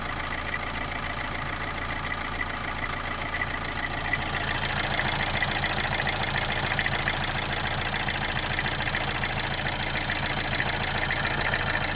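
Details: Opel Astra J 1.7 CDTI diesel idling with a regular knock, about two a second, over the usual clatter, with vibration. It began after an oil change; the engine runs well with no smoke.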